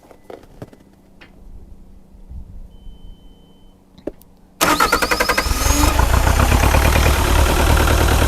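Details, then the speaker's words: Bobcat T595 Doosan diesel at cold idle, rpm locked to idle until coolant warms: cranks, catches, holds low slightly uneven clatter, still missing on one cylinder; white smoke and fuel smell, owner suspects injector stuck open. "can still tell it's still missing on one of those cylinders a little bit."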